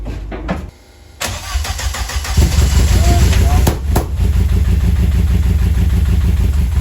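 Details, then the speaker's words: Vauxhall C20LET rear engine in twin-engine Corsa, freshly rebuilt, first start in months: cranks, catches, then uneven lumpy idle with skipped beats and odd pops; misfire and slight backfire, suspected crossed plug leads or timing slightly out. "right we're going to swap plugs because it sounds like it's missing on a cylinder or it's backfiring a bit"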